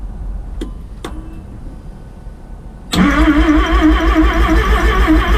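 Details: Rotary-engined van's first start after rebuild: a couple of clicks, then the engine spins over with a steady chugging beat around three a second, cranking but not clearly firing yet.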